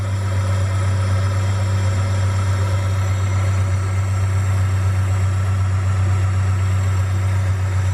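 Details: Honda Prelude H22A4 idling after throttle body cleaning and new pod air filter: steady even low hum, no dips or stumbles, idle holding smoothly where it previously dropped to about 400 rpm; normal idle.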